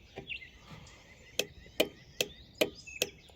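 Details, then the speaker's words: Four-pin fog-lamp relay tested on a relay tester powered by a 12 V 7 Ah battery. Six crisp clicks about two per second; the test failed because the relay was not fully seated. Relay test failure from poorly seated relay. "And you can hear that relay switching. In this case, it failed cuz I didn't have the properly the relay properly seated."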